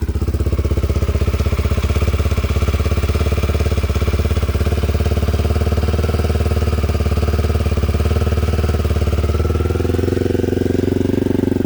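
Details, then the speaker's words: 1987 Honda XL250R RFVC single-cylinder barn-find dirt bike with Supertrap exhaust, after years sitting, first-kick cold start: even, steady quick idle thump, no knocks or ticks, unusually quiet engine; normal idle, probably wants warming up. "wow folks this thing started right up probably wants to be warmed up a little bit but that was not a bad cold start man"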